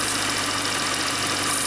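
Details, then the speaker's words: First-generation Mini Cooper S petrol idle: steady high hiss from the worn serpentine belt that quiets when sprayed with water; belt to be replaced. "So hopefully you can hear that hissing sound. I'm going to spray some water on that belt right now, and you can see how it just quieted up."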